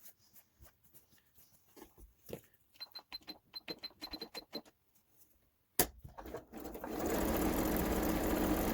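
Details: Kenmore 385-19550 sewing machine being tested after repair of wrong pattern stitches and speed control, speed adjustment screw centred: handling clicks, then spins up to an even, steady whir with no knocking or grinding; healthy.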